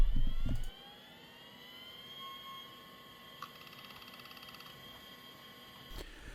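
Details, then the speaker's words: Conner CFS420A IDE hard drive, old 340MB unit (detected as 327MB) in a 386SX PC: short rattle, then a clean whine that climbs in pitch and settles, with faint head ticking; normal, healthy spin-up. "A lovely little rattle, and the hard drive is auto detected, 327 megabytes, so that's really good."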